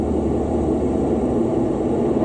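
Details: Refrigerant system at 225 psi standing pressure, leak pinpointed with the H10 and Accutrak ultrasonic detector: a steady rushing hiss holds at the spot. Gas escaping from the line.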